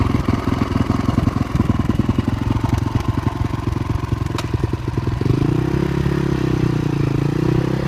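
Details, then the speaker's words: All-original, never-opened 2002 Honda CRF450R dirt bike single-cylinder engine: quick, even thump settling into a steadier run, no knocks or rattles standing out; engine sounds healthy. "This is all original. And everything is in excellent running condition."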